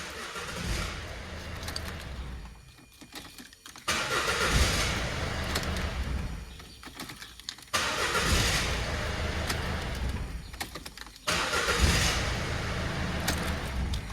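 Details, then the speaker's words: 2014 Citroen Berlingo 1.6 diesel after a crank/no-start fixed by replacing a blown 25 A fuse (12 A max draw): starter spins briefly, engine catches and settles into even idle with no grinding. Starting normally. "but put in a fuse and here we are up and running."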